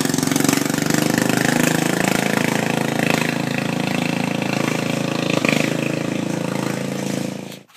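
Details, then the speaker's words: Murray mud mower with small single-cylinder engine, test drive after rebuild with new belt and belt retainer, before muffler fitted: fast steady loud unmuffled running, no misses or knocks, until shutdown; healthy. "she done just took her for an amazing test drive she flew went great"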